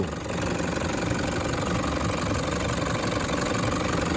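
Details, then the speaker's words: Diesel with 325K km secondhand engine, vehicle at 447K km, warm after drive: even steady idle clatter with consistent beat; injector feedback, pilot and main injection values good; healthy engine. "And pilot one, pilot two, main injection period down the bottom. Beautiful. What a beast. Beautiful."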